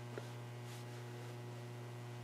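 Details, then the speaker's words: HA700 receiver being refurbished, brought up on a variac to full voltage and warmed up. A steady low hum with no program audio, taken as a sign the filter capacitors need replacing. Mains hum from failing filter capacitors. "that just reinforces the the idea that we do need to replace the the capacitors"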